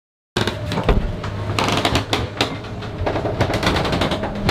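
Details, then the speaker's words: Lagoon 500 catamaran underway, recorded at the rear main beam where the pontoon meets the beam; irregular sharp pops, cracks and creaks as the hull and bulkheads flex under stress. "man you guys hear that this is freaking crazy oh my god this is so nuts it's creaking so bad this is the stress point of the whole boat right here in the back rear main beam"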